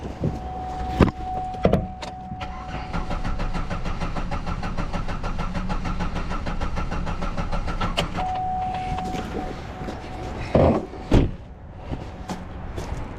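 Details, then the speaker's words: 2009 Buick LaCrosse: the starter spins the engine at an even, healthy pace for several seconds but it never catches; the crank sensor has 5 V supply but gives no signal, a failed crank sensor. "Yeah, we got nothing. We got 5 volts, but it's not pulling at the ground. So it is. It's a failed crank sensor."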